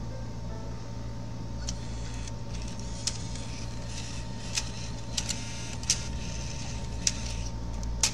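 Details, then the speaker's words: Bose Wave radio 3-CD changer after repair of a gear missing one tooth: soft steady hum under music with scattered light mechanism clicks as discs change; clicking noise gone, plays customer discs normally. "So we don't have clicking sound. We try with the customer desk. It's working. No more clicking noise."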